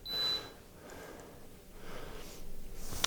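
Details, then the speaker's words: Coldis COLV12a+49dm dishwasher after leak water mopped up, switched on: one short high beep then faint clicks, powering up normally and starting its pump-out. "and it's working so so you have to allow a little time for it to prove itself and activate and that should start pumping any second now"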